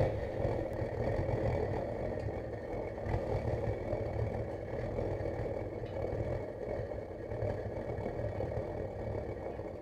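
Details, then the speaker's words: DIY gravity-drip waste-oil burner burning engine and hydraulic oil, about 300–350°C, after initial excess oil burned off and drip increased: even steady draft roar, no surging or popping; normal burner operation. "now that basically most of that oil has burned off and it has calmed down you can hear by the draft on just increasing the trip a little more"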